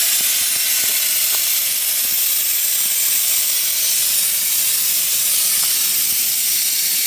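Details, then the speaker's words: 1964 LeRoi 125G1 trailer air compressor running after pressure adjustment: loud, steady, unbroken hiss of a large compressed-air leak, gasket needing repair, so the compressor turns back on right away. "All right, we finally got that thing to work. We've just got so much air escaping right away that it turns back on right away."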